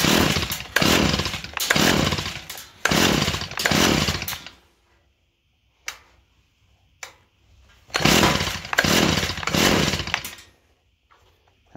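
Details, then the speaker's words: Small two-stroke engine, cold, unused for a couple of days, choke on and primer bulb pumped; several short bursts catching and buzzing, dying back, firing again; normal cold start despite compression gauge reading only about 20 PSI. "choke on cold engine hasn't been running since a couple days I think see if it'll fire up"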